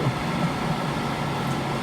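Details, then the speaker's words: Warco WM250V three-phase lathe first run after rewiring: steady, even whooshing hum, no knocks or speed changes; noise is the mains cooling fan behind the motor blowing air across it, running normally. "so a lot of that noise you can use there's a fan of the mains pad found behind this motor and it's blowing the cool air across it"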